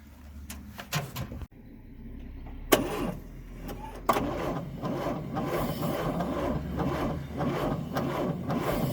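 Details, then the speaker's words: 1954 Chevrolet 150, engine sat 54 years, on its original 6-volt battery: slow cranking, fires briefly, then dies when the key leaves the start position; ignition run circuit problem. "Oh, it's starting off when I turn the key. The key is shutting off. Okay. Well, we have a problem with the ignition. When it comes off the start position, it dies."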